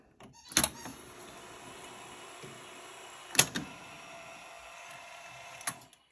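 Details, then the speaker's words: 1976 Sony SL-7200A Betamax player under repair, tape loading: a thin straining motor whirr between three sharp clacks about every 2.5 seconds as the threading wheel fails to finish turning and needs a push by hand; play still jammed, cause unknown. "but when you put it in see that wheel trying to turn it won't quite make it so if we bring it in we can get it to do it"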